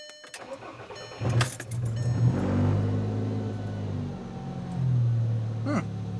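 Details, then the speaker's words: 2007 VW Jetta MK5 2.5L, 200,000 miles, effectively straight-piped from the downpipe after rust broke the exhaust: starter whirr, brief stumble, then loud open raspy idle; exhaust leak. "It's like a weird little stumble there at the beginning, huh? It sounds so bad."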